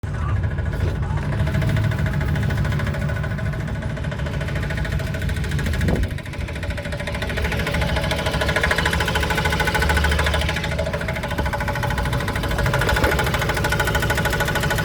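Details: Truck idling in park right after start-up: loose, uneven knock about three beats a second over a deep rumble, seemingly front driver's side; gone when driving, returns when braking; no warning lights, gauges normal; cause unknown.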